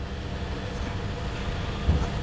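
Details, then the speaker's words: Chevrolet Sonic petrol engine, P0300 with flashing check engine light; misfiring idle with an uneven, stumbling exhaust pulse that flutters a banknote at the tailpipe, cured by replacing the ignition coil. "es señal de que estamos teniendo un flujo de gases de manera intermitente ahora sí que los famosos como decimos que se anda pedorreando que anda ahí fallando este vehículo"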